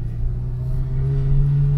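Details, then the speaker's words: Honda Integra DC5 on a hot day, after a power-steering fluid top-up: the engine ticks over with a steady low hum and no pump whine; the steering noise is gone. "Ah bah, tu vois, elle le fait plus le bruit là, tu vois."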